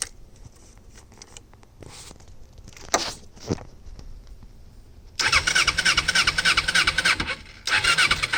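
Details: 1988 Kawasaki Ninja 250R, 250cc inline twin, possibly first start in 14 years, choke partly on: quiet cranking, catches, revs in uneven bursts, sags and nearly dies. It stalls when revved; the carbs were later found full of gunk and cleaned.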